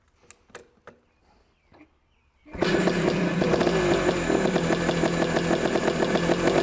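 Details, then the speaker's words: 1990 Yamaha RT180 rebuilt with 1978 DT175 parts, gas and choke on: a few quiet clicks then starts on one kick, settling into a steady buzzing two-stroke idle; runs healthily, though the clutch doesn't work. "Are you kidding me? It just started on one kick."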